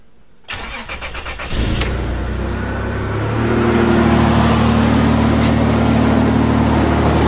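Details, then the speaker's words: 2000 Toyota 4Runner at idle after fuel pump replacement and fixing a small fuel-line leak: cranks, catches and settles into a steady, even idle with no skipping or stumble; the earlier skip at idle is gone. "No leaks. Alright, so it starts up, runs great, no leaks."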